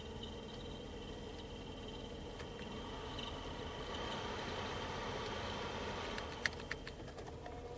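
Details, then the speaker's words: 2012 BMW X5 E70 (106,080 miles) cabin blower at low speed gives a faint repeating chirp over the airflow that stops with the blower off; dry blower motor bearings, fixed by re-lubricating both with 30W oil. "goes away when I turn the blower off completely so we'll dig into it and see whether it's the bearing or whether I've got some obstruction or some debris making this noise"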